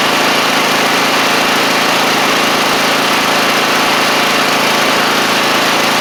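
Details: Troy-Bilt TB42 lawn tractor, 541cc Powermore engine, after fitting a new carburetor of the original type; steady, even engine note without knocks, misses or surging; normal running after repair.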